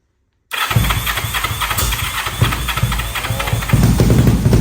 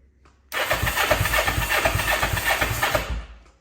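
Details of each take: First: 500cc Kawasaki Ninja-engined carbureted minibike after a loose part was tightened. It cranks, catches and settles into a steady low idle with even firing, then shuts off; it starts and runs normally. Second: Crank attempt on a 500cc Kawasaki Ninja-engined carbureted minibike after the loose right-cylinder spark plug was tightened, fuel tap on. The starter spins in even pulses for nearly three seconds but it never catches: it is out of gas.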